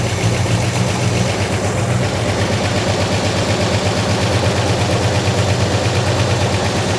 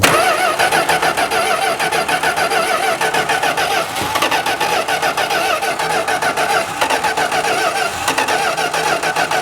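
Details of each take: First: 1971 Plymouth Road Runner V8 idling after oil reached the rockers, carburetor diaphragm stuck and needing rebuild: steady, even low rumble with no lifter ticking or top-end tapping; normal idle. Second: 1971 Plymouth Road Runner V8 after sitting, oil pressure just primed; steady rhythmic cranking about 3.5 turns a second with no firing; fuel pump diaphragm seems not to be pumping, cranks but won't start.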